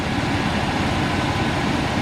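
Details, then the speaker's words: Old Chevy pickup revived after sitting on a farm: steady, even low rumble with no knocks or misses; the engine idles normally. "All right, so it's obviously running. Everything seems to be okay."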